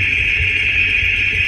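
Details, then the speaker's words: Worn front wheel bearing heard at speed through a Steelman Chassis Ear clip-on microphone on the left and right front wheel bearings: a steady piercing hiss-like whine over a low rumble, with one side super quiet by comparison. "pretty obvious which bearing it is it's pretty amazing all right so left side right side is that super quiet"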